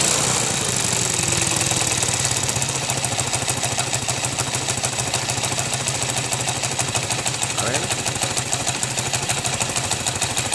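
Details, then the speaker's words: Motorcycle idling with a fast, clattering metallic knock over the exhaust note, appearing after the cylinder head was rebuilt (valves, seals, guides replaced); mechanics variously suspect piston, connecting rod or crankshaft knocking inside. "já fui em vários mecânicos um disse que era pistão outro disse que era biela out dis que era virabrequin assim alguma peça batendo dentro"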